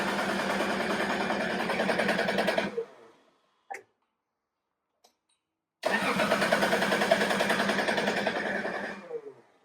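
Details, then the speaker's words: Lexus GS 300 after a ZF manual swap with an ADAMAT kit, headers off so it cannot fire: two clean bursts of steady cranking at about 3.5 turns a second, no grinding or bang; the starter engages healthily. "See, the headers are not on, so we can't even fire it up. But what I'm trying to do is to see if the starter goes bang or no."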